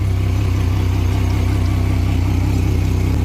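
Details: Outboard, starboard engine, cowlings off, running while checking water pump output: smooth deep even drone, no knocks or surging, pumping good water; 41 PSI even with sensor unplugged, so water pressure sensor deemed bad.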